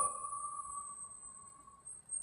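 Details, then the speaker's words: JBL speaker driver after repairing a cracking noise caused by debris in the gap, cone reglued with epoxy: clean, steady tone with no buzz, scratch or crackle, and the cone now moves up and down freely. "সব perfectly ঠিক আছে এটারও এখন কোন sound করতেছে না এবং perfect up down করতেছে।"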